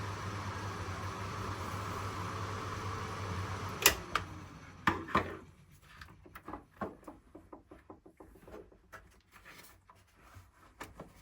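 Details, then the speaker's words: Rhino 220–240 V, 1700–2000 W fan heater after repair: steady fan whoosh with low hum for four seconds then click off; works normally, though indicator light is burnt out. "Që punon po drita këtu është djegur nga më."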